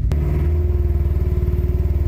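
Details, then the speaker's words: Coyote V8-swapped Ford F150 before its remote HP Tuners tune, 10-second pull held near 2500 rpm: choppy, uneven pulsing beat instead of a clean note; rough running. "Lots of pops and bangs all right. Well that sounded gnarly but I don't know if it sounded good."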